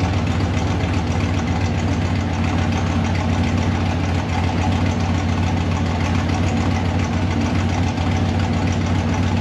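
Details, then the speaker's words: 1955 Chevy Nomad small block Chevy with tunnel ram and dual Holley Sniper fuel injection, steady deep idle then fast revs, even rumble without knock or miss; one spark plug had been left loose earlier. "so I remember I just had one uh one spark plug undone let's hear it it revs fast priming"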